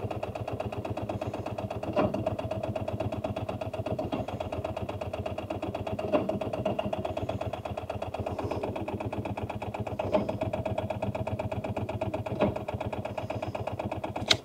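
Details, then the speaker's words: Rover 800 abandoned in brambles for 15 years, cranked after lots of brake cleaner sprayed into intake; starter churns steadily about four compression beats a second, never fires. Cranks but won't start. "Yeah, I don't think we're having any luck with that."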